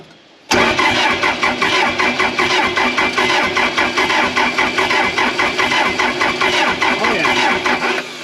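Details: Case 450B dozer diesel, abandoned 15 years, freshly rebuilt Roosa Master DB2 injection pump: starter grinds steadily about three compressions a second with no firing; cranks but no start, air in the fuel lines still bleeding out suspected.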